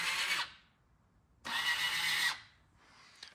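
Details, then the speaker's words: 2005 Arctic Cat 400 4x4 manual ATV, switched from two- to four-wheel drive before the actuator is swapped for a Knight ATV Sure 4 kit. Two high electric whirs, then a faint click; the actuator works but has gotten slower over time. "It sounds like it's working pretty good, and it is, but it just sounds like it's just gotten slower over time."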